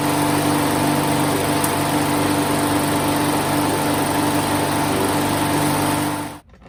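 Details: Husqvarna AWD self-propelled mower with Briggs and Stratton engine, which wouldn't start before servicing: small single-cylinder holds a steady, even buzz at fast idle with no misses or knocks, then cut off; runs normally.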